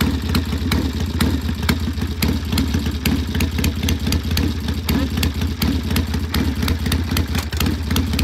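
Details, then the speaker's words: Vintage British single-cylinder motorcycle on a test ride with a cold engine: an uneven, stumbling thump on pull-away, running rough. "sounds a little rough on the takeoff there the engine was cold so let's see what it sounds like when he gets back"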